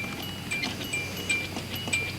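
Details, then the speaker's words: 1986 Hyundai Excel with door open: bright, high bell dinging repeatedly from a real mechanical bell in the dash, the normal door-ajar warning chime. "yeah that's just a real bell there's a bell in the dash of this car so i think it's kind of cute that hyundai has kept that sound for all these years"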